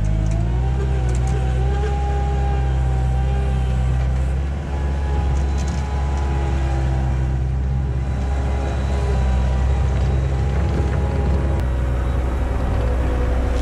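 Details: 1999 Bobcat 864 tracked skid steer after replacing right-side drive motor with rebuilt unit and refilling fluid, test run: steady even diesel drone, smooth low hum, no knocks or grinding, tracks pulling cleanly; normal drive operation.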